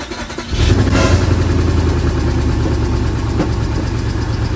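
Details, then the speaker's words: Volkswagen Touareg V8 after sitting with a dead battery for a long time: engine catches and settles into a lumpy, uneven idle with an irregular stumble; codes show random multiple misfire and cylinder 6 misfire plus a bank 2 camshaft position sensor fault; owner fears timing was disturbed. "Random multiple misfire and cylinder 6 misfire. Not great."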